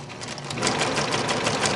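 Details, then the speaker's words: Singer 6268 sewing machine embroidering a dog design from a cartridge: fast, even needle clatter at a steady rate, no knocks or grinding; sewing smoothly and healthy. "And it just does just a wonderful little stitch."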